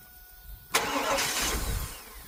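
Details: 2000 Cadillac Escalade V8 with a crank-no-start fault, cranked after an electrical plug was replaced: a sharp burst of cranking briefly catches, then fades without settling into idle. The engine is flooded with a smell of gas.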